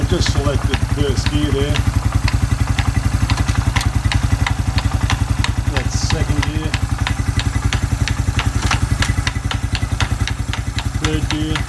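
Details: Suzuki Quad Runner 250 single-cylinder idling under restoration, exhaust refitted back to spec and crank seal replaced with a TC oil seal: even, steady thump about four beats a second, with voices in the background; normal idle.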